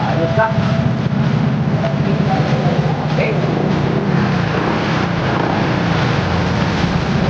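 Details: Honda ADV 160 scooter that would not start, now running after the fault was solved: steady even low putter with no misses or knocks; normal running.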